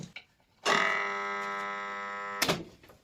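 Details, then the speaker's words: Haier air conditioner compressor seized, on its original 40µF start capacitor: click, then loud steady buzzing hum for nearly two seconds and another click as the locked rotor fails to turn. "压缩机卡的很厉害啊嗯响啊起不来再插上电试一下声音特别明显"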